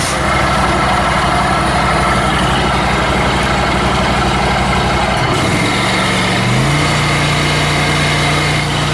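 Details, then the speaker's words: Scag zero-turn mower charging-system test with blades engaged, seat switch jumped, run at high RPM: steady, even engine drone, pitch shifting cleanly partway; normal running under load, voltage held 14.4–14.5 V. "Alright, so now we're going to check the charging system with our blades on."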